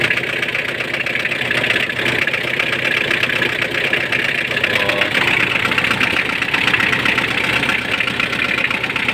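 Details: Mitsubishi L200 at idle with fluid topped to maximum and the alternator belt slightly loose; constant high, hissing whine above the engine that does not change, from a noisy power steering pump.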